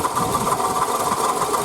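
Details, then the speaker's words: Toyota Camry 40, 2008, 2AZ-FE 2.4 L, 176,000 km, original pulleys and water pump: fast light ticking knock over idle that appeared the previous evening, owner suspects water pump bearing failing; fixed by replacing pump, belt and coolant. "Я испугался думаю все двигатели хана думаю смотрите ролик становится меньше и думаю что это помпа разваливается"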